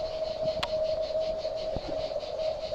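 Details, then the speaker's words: Exterior irrigation line (about ten taps) heard through an acoustic ground microphone right above the located spot where damp was found: steady high hiss with a constant thin tone, a large pressurised water leak. "on a donc localisé grâce au système acoustique donc la fuite à cet endroit précis donc ça donne à l'écoute voilà alors là on a une grosse fite le bruit le bruit est très"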